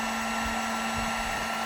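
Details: Heater on 750 W setting after switching from 1500, powered by DIY hand truck 1000 W inverter: steady, even fan-and-element hum, constant low tone, no dropouts or surging; normal running.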